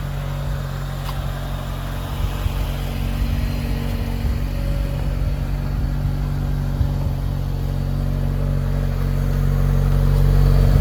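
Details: New 2022 Chevy Silverado LTD Custom 4x4, 2.7L L3B turbo four-cylinder, 8L90 8-speed: steady, even low hum rising slightly over ten seconds, no knocks or ticks; healthy normal idle.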